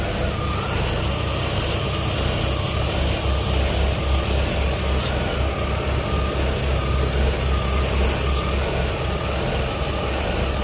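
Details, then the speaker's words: 2000 Ford Windstar 3.8L, at about 140°F after cold start: steady run with slightly uneven low thump, occasional missing; codes P0303 cylinder 3 misfire, P0171/P0174 lean, P0455; intake leak or low fuel pressure suspected. "This is literally running like it has an intake leak, but it could be low on fuel pressure."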